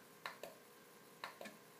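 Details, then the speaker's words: Amiga A1200 Shugart floppy drive on the bench, head stepped manually toward track zero, one step per pulse: two crisp paired clicks about a second apart, clean and even; the head stepper is working normally. "so the signal is high then i press it it goes low and then i press it again and then there it steps it may you i guess you can even hear it i mean if you listen carefully here"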